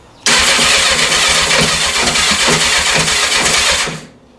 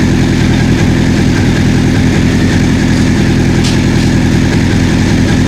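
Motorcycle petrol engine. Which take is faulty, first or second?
first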